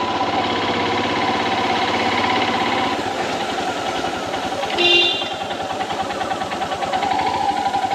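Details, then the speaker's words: Royal Enfield Himalayan BS VI at cold idle, noise happens only in the mornings: steady idle with a fast, busy ticking-knock over the exhaust beat; the dealer service gave no resolution, and the cause is unclear. "Hi guys, my bike is making a weird noise in the mornings."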